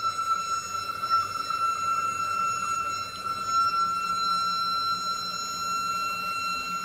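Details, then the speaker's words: Toilet flush refill: steady high whistle near one kilohertz lasting about a minute, stops when a part is touched; owner suspects that part causes the whine, not confirmed. "Get really annoying. I think it lasts like a minute or something. So every time I flush, you make that noise, and then I touch this, it will just stop."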